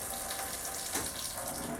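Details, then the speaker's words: RANS S21 aircraft with Titan IO-340 180 hp engine before first start: fuel pump on, steady rushing gush of fuel with even pump drone; good fuel flow. "We got good fuel flow. Perfect. Perfect. Perfect."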